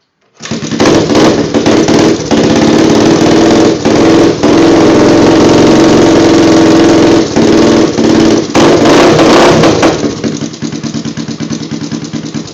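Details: Honda 350X motorcycle with DG exhaust, newly started: loud, choppy running with a fast clatter of about four beats a second from the top end; cam chain tensioner suspected, not confirmed.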